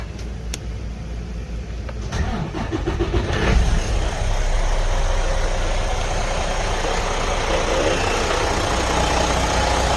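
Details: Detroit DD15 diesel truck engine cranks, catches and settles into steady diesel clatter with a quick regular knock underneath; bad high-pressure fuel pump, needing replacement.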